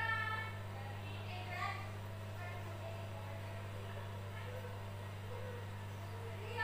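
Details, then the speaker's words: Lux Royal WH 1093i washing machine after replacing cracked inner drum spider (segitiga), drum and shaft, slow spin start: smooth even low hum, no drum-to-door-gasket rubbing or thumping from behind the drum as before repair. "pada saat ini tidak ada lagi suara seperti itu"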